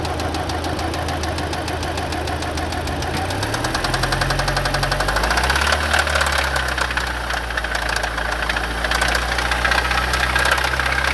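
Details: Audi B7 A4 petrol engine starting and settling to idle with a rapid steady knock; timing chain and tensioner verified not the cause, source unknown.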